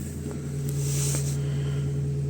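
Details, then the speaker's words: 2001 VW Golf MK4 1.6 SR, sat about a month buried in snow, cold start with fan off: catches readily and settles into a smooth, steady idle with constant low hum; starts fine. "Let's see if it starts. Fan off. All right. Fire in the hole. Oh, yeah. Not a problem."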